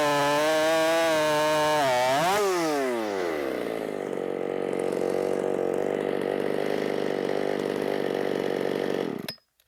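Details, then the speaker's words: Ported Shindaiwa 757 chainsaw on stock timing, muffler cut flat so the exhaust sits against the log: high scream, then the pitch sags sharply and labours low and flat in the cut. Bogging from the blocked exhaust. "it was getting right up against the log and it can't breathe so that's something that I'll fix in the future"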